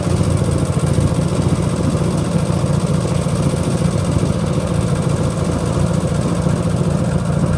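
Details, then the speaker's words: Sears GT18 garden tractor at steady low idle with a light quick tick about three or four a second; left intake valve has too much clearance, not yet replaced. "if y'all hear that ticking i know what it is i know i've heard people ask me about the house at the house but it is uh i know which valve it is it's the left intake valve it's got too much gap in it"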